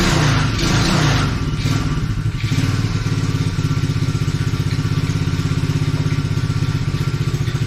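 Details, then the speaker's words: Coolster 110cc quad that sat two years, after carb work with caps fitted: brief stumble then steady even putter without choke, takes a little while to warm up; normal running. "[Laughter] it runs fine without the choke so there we go it takes a little bit to warm up"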